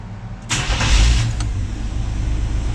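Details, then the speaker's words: 1985 Chevy C10 first start after a custom exhaust install, camera at the tailpipe, cold with no coolant circulating: brief crank, immediate catch, deep steady idle, no exhaust leaks heard, a little louder than wanted. Normal cold start. "fired right up all right there it is can't leave it running too long cuz I don't have water circulating but I don't hear any [Music] leaks"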